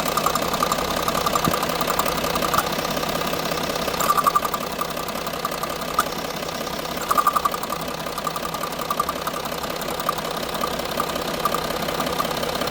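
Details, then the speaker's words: Range Rover Sport diesel at idle, owner told it needed new turbo/engine: uneven fluttering tick that can pass for knock, from the vacuum-driven EGR solenoid/actuator; stops when held or vacuum line disconnected. "The fluttery noise? That one over here. It's the EGR. The vacuum solenoid on the EGR. So if you hold it, it stops doing it."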